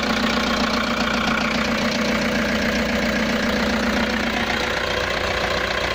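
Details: Toyota Hiace diesel with a no-crank fault, started by shorting the starter relay terminals; battery, starter and relay were all good, and the fault was traced to broken wiring: steady, even clatter with no stumble or misfire; normal crank and start.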